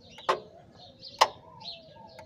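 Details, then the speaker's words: 2010–2016 Nissan Tiida, scan-tool active test of the A/C compressor (fan high speed not engaging complaint): three sharp clicks about a second apart as the compressor clutch cycles in and out normally. "que se escucha es el compresor que entra y sale"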